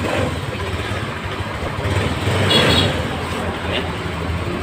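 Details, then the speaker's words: 2015 Honda Scoopy after engine rebuild and part replacement for very rough engine noise blamed on irregular oil changes; now runs with an even beat, no scraping or knocking, smooth. "wes Ini motor sudah nonton sudah hidup dan suaranya sudah halus nyari-nyari tidak ada suara sama sekali tidak seperti tadi"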